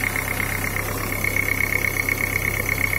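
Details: Daewoo Nexia 8-valve engine at cold idle, knocking for about five years and getting slightly louder. Steady tapping of about three knocks a second over the engine hum. Owner thinks it comes from the crankshaft, low in the engine; others suggest crankshaft or camshaft. Unconfirmed.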